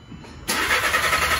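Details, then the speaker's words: 2014 VW Jetta 1.8L, running rough and stalling, cranked at wide-open throttle for relative compression test: steady, even cranking beat; all cylinders contributing evenly, no metal in oil filter. "As you can see, all of our cylinders are contributing. That is good."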